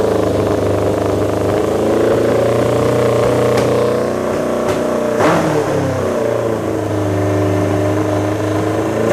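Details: Honda CB750 four-cylinder cafe racer project with new Delkevic 4-into-1 exhaust, carbs partly tuned, accelerator pump cover still to be replaced; steady burbling idle, blips up cleanly and settles without stumbling, peppier with better throttle response than the earlier backfiring idle.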